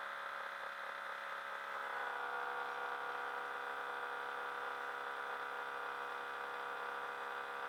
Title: Hitachi 25 RPD/WPD loud noise